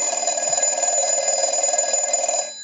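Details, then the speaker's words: Stromberg Carlson 1198 telephone with 1561 bell box after rotary, transmitter, receiver, hook switch, network and bell adjustment; analyzer ring cycle with bell switched off and on: bright, fast, even metallic trill ringing steadily then stopping cleanly, normal bell ringing. "we'll go ahead and use the analyzer and start our ring cycle but will also be turning off and on the bell"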